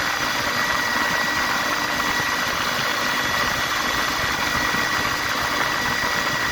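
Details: Atlas Copco GA15 air compressor running with a steady hard drone and thin high tone on top; abnormal running sound tagged as a belt issue.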